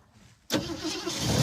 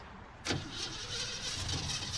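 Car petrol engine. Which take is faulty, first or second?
second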